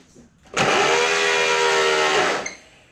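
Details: Super73 e-bike after controller swap for torque update, first successful power-up: clean even electric whine spinning up at once, holding about two seconds then cutting off; motor and controller running normally.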